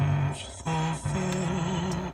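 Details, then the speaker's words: Truck at 142,143 miles: music from the passenger door speaker with a fuzzy, rattling buzz on the bass notes; the speaker is suspected to be going out, and the seller said both rear door speakers were already busted. "yeah uh the guy told me that I bought it from um said the two back door speakers was um completely busted now that passenger side one is starting to go out"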